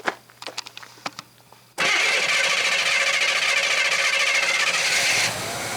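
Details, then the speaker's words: Abandoned numbers-matching 1966 Chevy Biscayne, 396 big block, started with jump starter after sitting: starter clicks then loping idle with steady stumble three to four times a second; one cylinder dead, no smoke. "hi golly that's pretty good not quite the way it's supposed to sound but with that dead cylinder a little bit dead in one cylinder no smoke"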